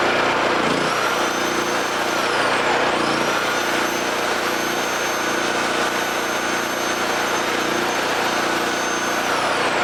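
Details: Homelite 5000 watt generator, bought used with a corroded carburetor; after carburetor, brush assembly and AVR replacement and re-exciting the field with a battery charger, it holds a steady, even drone with a constant high whine, no hunting or misses, producing power.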